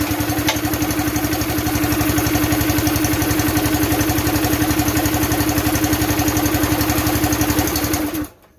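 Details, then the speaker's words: Campbell Hausfeld CE2000 gas air compressor, 5.5 HP Honda GX160-type single-cylinder engine, throttle pulled by hand: steady fast putter at idle, then it dies abruptly when throttled up. "Oh, there's no love there."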